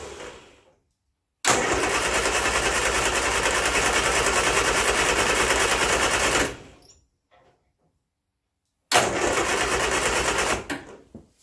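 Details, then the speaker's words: Turner Ranger four-wheel-drive tractor, 1098 A-series petrol engine, sat six months, after choke adjustment: long bursts of steady cranking about three turns a second, no firing; suspected flooded, plugs later found badly sooted. "yeah so that's not wanted to go so i suspect what i've done now is flooded the engine that is spark plugs are too wet"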